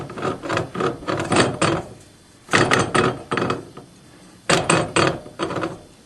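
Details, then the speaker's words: Yamaha G1 golf car, rear wheel and tire removed, brake drum turned by hand; rough scraping grind in bursts with each turn, quiet gaps between: rear axle shaft suspected broken, confirmed broken on disassembly. "I don't know, but and there's a little bit of, I think the shaft's broken."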